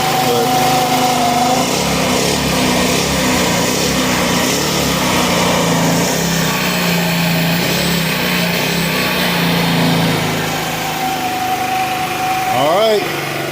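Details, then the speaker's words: Retro-style GY6 scooter single-cylinder engine, revived after sitting 15 years, oil topped up, restarted after warm-up: buzzes at a steady fast idle that won't settle lower; owner suspects dirty carb pilot jet not picking up, vacuum leak ruled out. "So let's see, will it start again? Turn it on. Oh, it is idled up a little high,"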